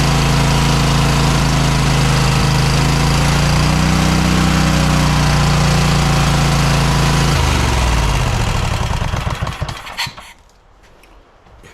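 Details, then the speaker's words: Cub Cadet XT1 lawn tractor engine, just resealed after a massive oil leak, starts and runs at a steady, fairly fast beat for about seven seconds, then winds down and stops; the governor is out of adjustment. "as you see it started, but this governor needs to be adjusted. So, yeah, let's I'm going to do that now."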